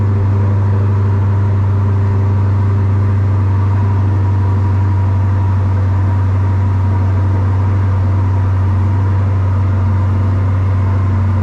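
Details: Strong, steady low rumble with even firing and no knocks or misses from a rebuilt 2020 Corvette C8 Z51 after a year apart; running after refilling coolant, fixing a disconnected ground and fitting a new battery, engine healthy.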